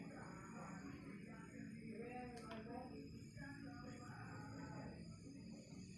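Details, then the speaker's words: Samsung phone charger plugged in: faint steady high-pitched whine above quiet room murmur while charging; owner worries the noise sounds like the phone could burst, safety and cause unclear. "Yung pag mag-charge ka, parang may something noise na parang puputok yung cellphone mo."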